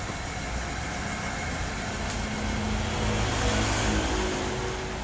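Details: Structurally modified LPG-converted car at idle, scope on ignition, fuel and ground: uneven, lumpy idle with an irregular stumble and heavy shaking; misfire traced to poor wiring contact in the add-on engine computer.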